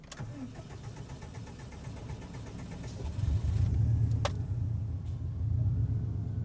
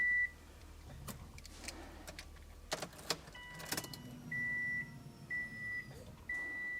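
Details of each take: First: Subaru with AEM E85 fuel pump that starts poorly when hot, less so cold; starter grinds for several seconds before the engine catches and settles into idle; long crank from a weak fuel pump. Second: Car with hot-start trouble, after changing the fuel pressure regulator: the door chime beeps, a short crank, and it catches at once into a steady idle, far better than before. Normal start.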